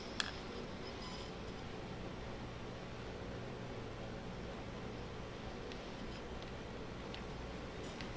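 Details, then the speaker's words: Hornby R2535 Class A4 4-6-2 OO model locomotive on first run at speed step 10 of 128 jerks and buzzes quietly like hair clippers; owner suspects gummed gears, dry connecting rods, or the old decoder's BEMF compensating. "In fact, if you listen to the motor, it's got kind of a loud buzz going on."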